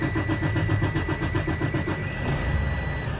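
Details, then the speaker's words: Freightliner Cascadia DD15 diesel restarted right after a fuel filter change: starter grinds slowly and unevenly, about four turns a second, and the engine struggles to catch because air entered the fuel system. "now this is because you've introduced air into the system you're going to hear the engine struggle to start"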